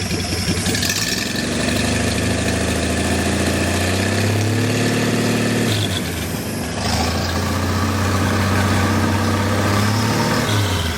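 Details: Six-cylinder engine on a stand, not yet boosted, no coolant hooked up, 40 psi oil pressure: quick catch, steady slightly lumpy idle; running normally.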